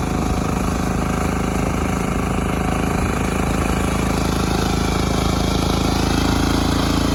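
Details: Mini tractor built from a LuAZ with Lifan C192F single-cylinder engine, after key (shaft key) repair: steady single-cylinder thump at fast idle, even beat outdoors; running normally.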